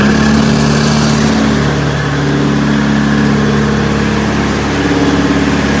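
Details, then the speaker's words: Perkins four-cylinder diesel in 1980–81 Bobcat 843, injectors reset to crack at 2200, electric fuel pump: loud lumpy uneven idle with shaking rhythm; all cylinders firing, exhaust temps and line-cracking balanced, yet still rough, cause not found. "i seem to have a balance situation but still running rough i think it probably should be smoother"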